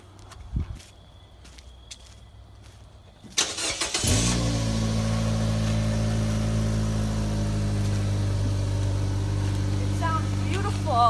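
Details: 2013 Nissan Versa after temporary exhaust repair of a pipe snapped at the flange, adapter sleeve sealed with exhaust clamps: short crank, then steady low even idle with no blowing or rasping, much quieter.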